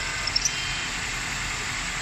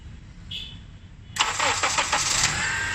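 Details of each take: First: 2003-2007 Honda Accord 2.4L at idle: steady, high, hissy squeal from a worn, slack serpentine belt; it goes away when water is poured on and returns after; belt to be replaced. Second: 2003–2007 Honda Accord 2.4L after serpentine belt replacement: a few seconds of cranking, then steady, even idle with no squeal or chirp; belt noise gone.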